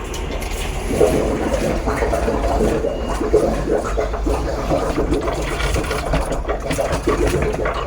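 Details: Fluval FX6 canister filter: loud watery churn with low throbbing hum and irregular knocks, pulsing and vibrating. The cause was a worn impeller inside the motor, fixed by replacing it with a new one.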